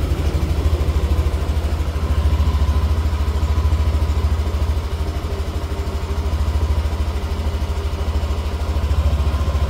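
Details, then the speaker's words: Yamaha NMAX Neo S on Castrol Magnatec 10W-40 oil, cold engine after about 30 hours unused, warming up: even low thrum with a steady, regular beat and nothing knocking on top; normal cold idle. "tadi kan itu tak panasin tak panasin di awal video itu e setelah 30 jam sekitar 30 jam 30 31 jam enggak dipakai posisi mesin dingin ya suaranya seperti yang ada di awal video"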